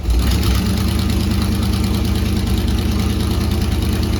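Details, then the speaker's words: C3 Corvette V8, first start after fitting side-pipe headers (open headers): very loud, choppy, fast steady idle; idles high only when cold, owner suspects the choke, plans tachometer to check rpm. "It is open headers, but the car is also idling high still. So I'm going to order a tachometer so I can see the RPMs instead of just guessing."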